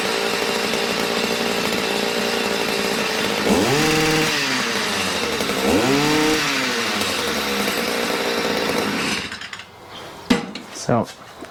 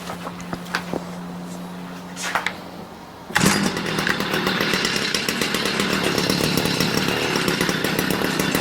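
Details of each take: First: Stihl MM56/MM65 tiller two-stroke, warmed up, carburetor tuned to near-final setting: steady buzz climbing cleanly on two throttle blips then shut off; runs smoothly, though a drip of unknown source was seen. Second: Stihl MM56/MM65 tiller two-stroke after carburetor adjustment, blue smoke seen: uneven burbling beat instead of crisp buzz; still running rich.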